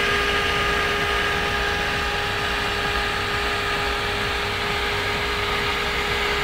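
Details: Rendut Thermolab Baram cooler with NMB fan at high speed, 3600 rpm, on a Q9550 overclocked to 3.4 GHz: loud, even rushing whoosh with a few steady tones, no rattle or grinding; loud fan noise at high speed.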